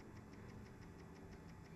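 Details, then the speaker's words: Mercury Optimax 150 outboard after air compressor replacement, oil pump prime test: light, even clicking about six per second, each click a diaphragm pulse pushing oil to purge air from lines; normal oil pump priming. "Now you can hear the oil pump running. You hear it going click, click, click, click, click, click, click, click. Every click is a pulse of a diaphragm. Every pulse is pushing oil out."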